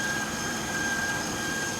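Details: 2008 Mercedes S550 theft-recovery car with 77,000 miles: smooth, even idle with a faint steady high accessory whine and no knocks, ticks or misses; sounds healthy.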